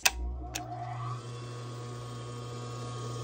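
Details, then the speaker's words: Industrial sewing machine clutch motor (large, unlike silent servo motor) switched on: click then steady low hum held evenly whenever on; normal clutch motor idle. "gonna make this hum noise anytime that it is on"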